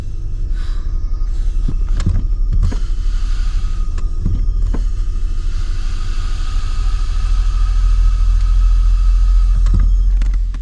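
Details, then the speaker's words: 2011 Lincoln MKX idling, cabin listening: hissing whistle swells as the soft brake pedal is pressed and sinks to the floor; brake booster vacuum leak, booster replaced. "So you can kind of hear that whistle. The more you press on it, and then it kind of goes to the floor there. There again, you can hear the vacuum leak."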